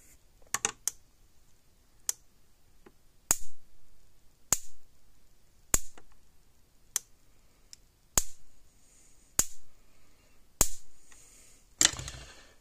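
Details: Repaired Zareba TSC Hol-Dem 50 Mile 2 joule fence charger, about 28 years old, original board, new capacitor and transformer, about 9.5 kV, screwdriver across the terminals: sharp spark snaps about every second, strong and steady; pulsing properly.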